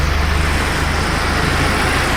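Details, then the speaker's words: Nissan Hardbody truck, 203,000 miles, after new valve cover and oil pan gaskets: steady low idle rumble, no timing chain rattle or ticking. Normal idle after repair. "is no noise not bad for a hundred dollar truck huh"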